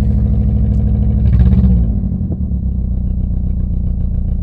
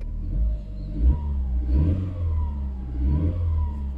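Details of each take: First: Four-cylinder car left standing on a yard: lumpy, uneven idle with a stumbling beat and brief rev blip; misfire from worn-out spark plugs, compression said to be fine. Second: Coupé with 160,000 on it, started after standing on a yard: steady low engine hum with a few gentle revs, clatter gone, no knocking; runs smooth like new.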